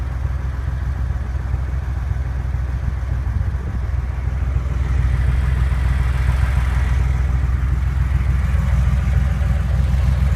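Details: Porsche 911 flat-six with a regular knock at idle about three and a half per second, continuing as revs rise slightly; engine knock, cause unknown.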